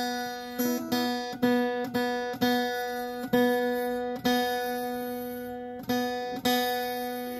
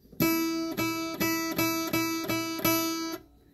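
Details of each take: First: Acoustic guitar's B string plucked repeatedly, each note ringing with a thin metallic rattle; sympathetic buzz not present on other strings. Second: Guitar, a different string plucked about seven times for comparison with a B string that has a sympathetic metallic rattle; each note rings clean with no buzz.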